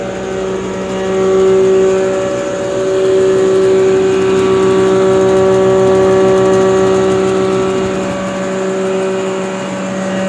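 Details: Nut-and-bolt restored John Deere 6A hammer mill with new bearings, converted to single phase: spins up to a steady even hum with clean constant tones, no knocks or rubbing; sounds healthy.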